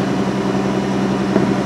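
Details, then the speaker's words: Mercedes Sprinter diesel in a Coachmen Galleria RV, parked with parking brake on, high idle control engaged, raised about 50 rpm per button press to around 1250 rpm: steady, even drone with no misses or knocks; healthy high idle. "okay that's it sped up the engine and I can click that this button right here again and it increases it at fifty rpms each time I press the button about fifty rpms"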